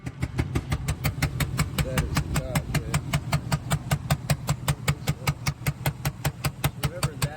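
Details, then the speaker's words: Van that lost power and ran poorly on the highway, with sharp, loud puffing ticks about 2.5 per second over the idle from a blown-out spark plug; threads were intact, so it was an easy fix. "These engines are known for blowing out spark plugs, but thankfully this one didn't rip out the threads on its way out, so it was an easy fix."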